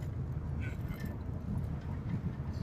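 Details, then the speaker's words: 2006 Pontiac G6 driving after wheel hub bearing replacement: steady low road rumble, previous loud humming gone; wind-like noise from a metal piece not fully welded, popping blamed on needed alignment; bearing sounds healthy. "That sound you're hearing, like wind coming in, that's from this metal piece. Need to be welded in all the way, but whole lot quieter."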